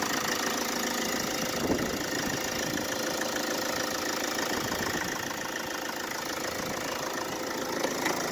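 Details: Mercedes Vito W639 with OM646 diesel, cold start: engine rattle with a thin squeal and an uneven knock from a loose air-conditioning compressor mount; temporarily fixed with a shorter belt routed past the AC pulley.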